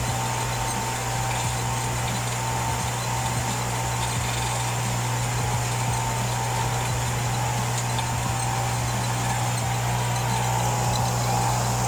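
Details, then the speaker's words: Electric water pump that hummed but would not start, after fixing the stuck fan: runs with a steady low hum and even tone, no rubbing or stalling, working perfectly. "as you can see, the pump works perfectly now"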